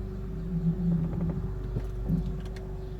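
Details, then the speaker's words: 2003 Acura MDX on a test drive after the catalytic converter heat shield clamp was secured: smooth low engine rumble with a faint steady hum, and the former bell-like metallic rattle at low rpm is gone. "all right everybody back in the car now see how it goes absolutely beautiful the sound disappeared boy oh boy I used to bottle the hell out of me"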